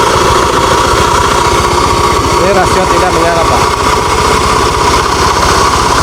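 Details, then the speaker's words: Honda Beat FI scooter at fast idle with the CVT open and the drive not turning: coarse uneven rumble still present, so the final gear and gearbox bearings are ruled out; rough noise likely from the engine, not confirmed. "ara seperti ini ini wajar Pak namun saat menyala tadi ini Kasar banget tuh"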